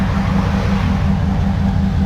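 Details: Dodge 5.2/5.9 V8 with about 200,000 miles: deep, even idle with steady beat and light natural tick, no stumble or miss, runs smoothly; plenum plate gasket issue suspected behind others' misfires.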